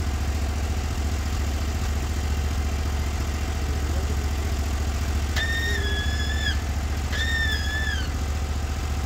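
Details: Norwood HD36v2 bandsaw mill with new roller guides replacing the ceramics, slabbing big black oak in 1.5-inch cuts: steady unlabored engine drone holding speed evenly, no bogging or squeal; band sounds happy, cutting effortlessly.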